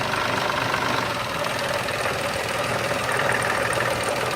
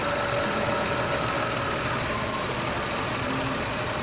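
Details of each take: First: Petrol engine idling in gear, shifted between reverse and drive, with a harsh metallic clatter of roughly four knocks a second over the running noise; severe knock heard around an oil change, cause suspected, not confirmed. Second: Petrol car engine after oil change idling with steady even hum and no knocking; before, it made a clanging knock.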